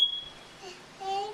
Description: The smoke detector was going on and off for 30 mins... so we thought it was a good time to teach Avari what to do when she hears it.